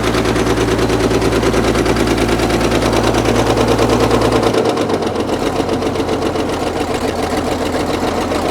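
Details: Caterpillar D6 9U diesel running with a heavy, regular knock about two per second over the clatter, changing note midway. A leaking injector is suspected; the knock was later traced.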